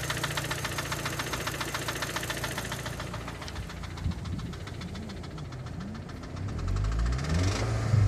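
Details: Audi A3 2.0 TFSI (8P, 2006): sharp metallic marble-like knock about four per second over a rough, wobbling idle; apparent misfire on cylinder 4; owner fears lifters, timing chain tensioner or cam follower; dealer recommends ignition coils and spark plugs.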